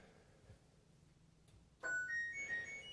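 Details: LG WT1101CW top-load washer after control board replacement (EBR76262102) for IE error with drain pump running continuously: bright rising startup tune plays cleanly on power-up, no pump running underneath; normal power-on chime.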